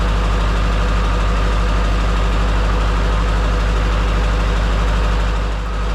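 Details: Duramax diesel in a C10 after installing a used replacement injector: steady idle with an uneven, lumpy beat about three a second, one cylinder not firing; number 3 still dead on cutout test, cause unconfirmed.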